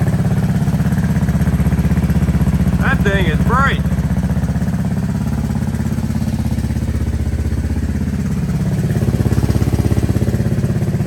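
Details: 1984 Honda ATC 200S three-wheeler after rebuild, running on new carburetor with no air filter fitted: steady, even single-cylinder putt-putt holding a stable idle, firing regularly with no misses or knocks — normal idle.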